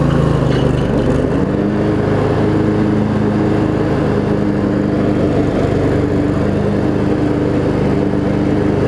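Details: Craftsman riding mower, Briggs & Stratton V-twin, after shift hub repair, started on choke and driving: even mid-pitched drone holding steady speed, no surging, knocking or rattles; running pretty good.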